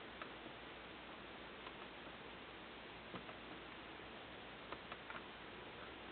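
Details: Dell Inspiron 9400 laptop at power-on: faint, irregular clicks every second or so with no fan or drive spin-up, and it won't start. Repeated ticking at power-on, no start.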